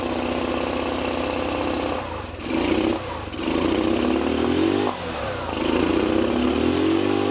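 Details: Old scooter, carburetor needle and seat tapped, started without starter button, exhaust clamp coming loose: small single-cylinder putters unevenly, swells as throttle is blipped, settles and keeps running on its own. Engine running.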